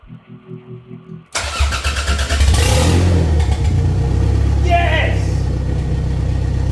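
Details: Toyota MR2 track build, first start after an engine transplant, after the fuel-pump wire was rewired. The starter cranks in even pulses, then the engine catches into a loud, steady, open-exhaust run. Normal start and idle.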